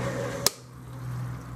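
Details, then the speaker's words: Small workshop heating system pump: low steady hum with repeated thumps as the pump cavitates, its rotor losing grip on water that will not circulate; airlock checked and ruled out. "But that's definitely cavitating. Here when it starts going thump thump thump thump thump thump thump thump thump, that's cavitating. That's the rotor in the pump losing its grip on the water, if you like, trying to push it against, or trying to suck it through."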